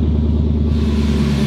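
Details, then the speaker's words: Chevrolet Camaro cold start with header hanging off: loud coarse low rumble, raw truck-like bark with no muffling; exhaust leak at loose headers. "let's do a cold start it's going to be loud so so bear with me cuz like I said the header is hanging off that [ __ ] sound like a like a truck"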